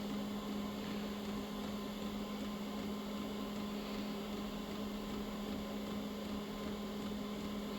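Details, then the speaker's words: Truck diesel heater turned down low: only a steady low hum and airy fan rush, no burner roar, and the temperature is dropping. It has flamed out while the fan runs. Owner suspects biodiesel fuel and a clogged glow-plug screen. "you can't even hear the combustion part anymore you would hear it so I think what effectively happened is they turned up and it may have caused it to put itself out"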